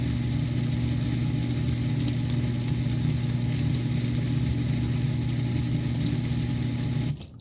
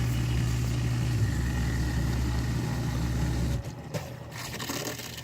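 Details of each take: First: 8-year-old Miele Diamante Plus dishwasher, noise from the inside bottom during the water circulation wash cycle; filter, non-return valve and impeller checked fine: constant loud droning, almost grinding hum, then stops; owner suspects circulation pump or motor. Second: 8-year-old Miele Diamante dishwasher with toe-kick and front access panel removed: steady low hum and faint rushing water as it fills, then quieter hiss; normal fill, before the loud grinding circulation noise.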